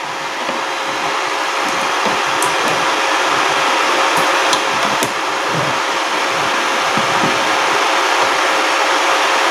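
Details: RYU RII120-2 450-watt IGBT inverter welder under repair for blinking power light and slow fan, powered on while output voltage measured: steady, even fan whoosh with faint constant hum, no rattle or speed hunting; cooling fan normal.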